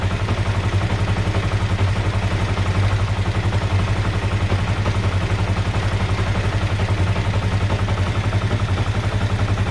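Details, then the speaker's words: 2005 Kawasaki Ninja 500R parallel twin, first startup after sitting 10 years, carbs rebuilt, battery connected: smooth, even idle with steady low throb, no misses or knocks. Idle is slow to come down afterward; owner suspects air leak at intake boots. "Sounds great, man. This thing's running great."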